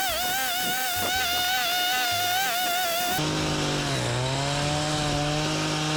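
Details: Echo two-stroke weed whacker after broken drive shaft repair, test cutting weeds: high buzz revs, wavers under cutting load, then holds steady at lower pitch; trimmer runs normally, repair appears fixed.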